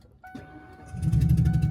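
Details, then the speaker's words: Motorhome restarted at roadside after plug failure: loud uneven chuffing pulse, one cylinder puffing through plug hole, gas smell when revved; blown-out spark plug, not driven further. "It's definitely a spark plug. That's a spark plug. You can smell the gas."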